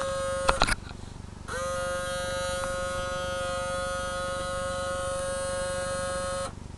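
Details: RCA CMR300 VHS camcorder, owner's first, recently acquired: steady high electrical buzz holding one pitch for about five seconds with no tape movement; mechanism stalled and tape won't eject; owner suspects the belt broke off.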